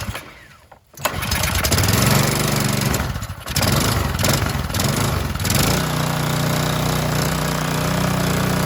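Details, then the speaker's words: Harbor Freight Predator engine on a pressure washer revived from junk, head off, oil freshly changed, test run before reassembly; a couple of rough catches then a steady, even single-cylinder drone with no misses or knocks: normal running. "up all right sounds good let's put the head back on"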